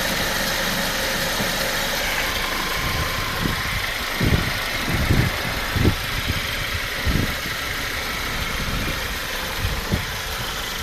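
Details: Mercedes-Benz C250 W204 after timing chain replacement, restarted once power steering fluid was topped up: steady smooth idle with a few scattered dull thumps and no rattle; engine running properly.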